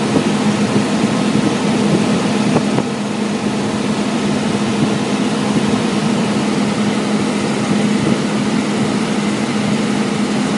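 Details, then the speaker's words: Blower after repair, where a fallen 3/8 bolt had been removed from the condensation pan and the belt retensioned: even steady whoosh with low hum, no rattle or squeal; much quieter, slightly wobbly, tension good. "Much quieter. That's a little wobbly, but the tension's good."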